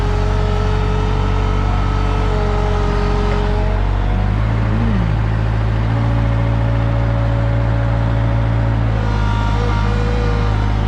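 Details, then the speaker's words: Used truck-mounted Moffett forklift running: steady engine drone with sustained whining tones shifting in pitch as the hydraulics work; owner thinks it is leaking past hydraulic stops, engine not laboring; cause unconfirmed. "this thing it just kind of uh sounds like it's leaking past hydraulic stops or however it works it makes that noise and doesn't actually labor the engine at all"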